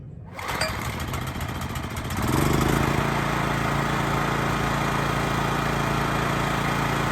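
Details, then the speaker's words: Honda EX1000 generator, started at half choke without air filter, then choke pushed in: catches within a second, settles to steady, even run holding speed under light load; healthy. "She's running at like half choke. I don't have the air filter on. I'm gonna go throw that on and we're gonna see what happens. All right, choke, we're in on."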